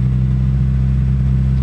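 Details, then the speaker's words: Toyota Vios, no engine warning light, owner reports idle sometimes 2000 rpm, sometimes normal 800, temperature gauge rising: steady raised engine hum, no dip to normal idle. "karena terkadang kata pemiliknya tuh normal terkadang bagus rpm-nya sampai di 2000 terkadang normal sampai di 800"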